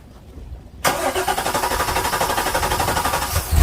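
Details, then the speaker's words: Direct-injected Volvo Penta boat engine with a reported hard start and fuel smell when running: starter churns in even pulses for nearly three seconds before catching, far longer than the usual one or two cranks; hard start. "it's definitely an excessive amount of time to try to start it usually these things crank one or two times and they fire right up"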